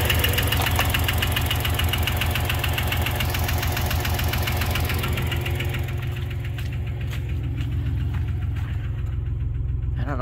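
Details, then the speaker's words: 1990 Dodge Grand Caravan first start after fuel rail rebuild and injector swap: loud rapid metallic clatter at idle, three or four knocks a second, easing slightly; owner suspects no oil pressure, oil pump engagement uncertain. "it's running I don't think I've got oil pressure but I don't know I don't know if that's working kind of sounds like it doesn't have oil pressure"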